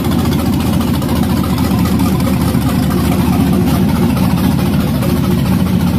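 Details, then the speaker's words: 1968 Chevy C10 with low-mileage 5.3 LS V8 swap and overdrive transmission, throttle body cleaned: deep even rumble with steady beat, no knocks or misses, good oil pressure; normal idle. "clean the throttle body up um it runs it sounds good got good oil pressure like I said I'm going tie a couple of loose ends here call it"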